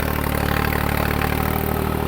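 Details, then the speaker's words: New Holland 3630 4x4 diesel tractor pulling a 7-tine cultivator at proper depth in a field: deep, steady drone holding even under load without laboring or misfiring; normal running under load. "अभी आप देखो sound सुनो, sound से ही पता चल जाएगा कि हाँ ये लोड लेके चल रहा है।"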